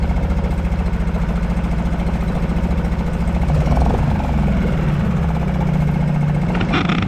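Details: Suzuki 2.5 HP DF four-stroke outboard in a water bucket, oil hovering at lower sight-glass mark, dirty exhaust water from excess oil and gas in cylinder: steady, low thrumming beat at even idle speed, no misses or rattles; idling cleanly.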